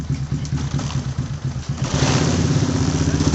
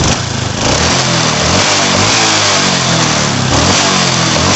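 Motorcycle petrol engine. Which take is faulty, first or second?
first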